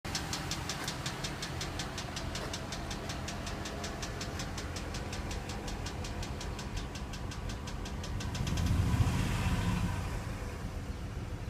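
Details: Ram 4.7L V8 misfiring on cylinder 7: sharp steady ticking over a rough idle, then a rev. New plug did not help, rockers and lifters look good, flush did not help. Compression 70 psi on #7 vs 150; suspected bad valve seat or spun rod bearing.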